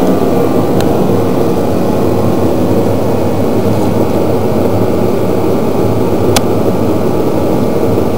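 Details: Kerosene shop heater started in a roughly 46°F Pennsylvania shop: even, steady rushing roar from burner and fan, no surging, rattles or dropouts; running smoothly, normal.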